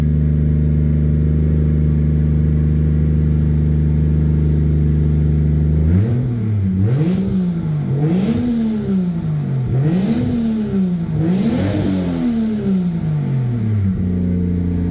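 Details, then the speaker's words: Normal idle and revving: an 800hp 2JZ turbo Lexus IS300, wrecked in a front-end collision and sitting unused, started on a replacement battery with no coolant and was run only briefly. Steady smooth idle, several quick clean revs, back to an even idle; still runs like a champ. "Hey! She still runs like a champ. So that's good."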